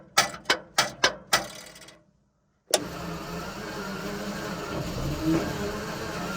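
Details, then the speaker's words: Centurion ARV, fuel lift pumps primed and ignition timing reset to cure a starting problem: five slow heavy starter turns, a pause, then one kick and rough running; low coolant means the coolant switch tells the magnetos not to start. "I think that was a kick then. All the fuel. So that thing over there is the coolant switch, and the coolant's below it, so that'll be telling the magnetos not to start."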